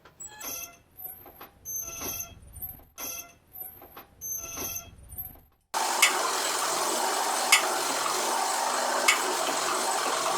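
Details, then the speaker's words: Disc brake pads sticking in dirty, rusty caliper rails: steady scraping rush with a sharp tick about every second and a half, from heavy friction between pads and the rails they slide on; clean rails with a wire brush. "esto es porque hay mucha fricción entre las pastillas y el riel donde ellas se desplazan es importante que esta parte esté bien limpia y sin óxido porque al momento de aplicar presión no desplaza correctamente la balata y se escucha un ruido"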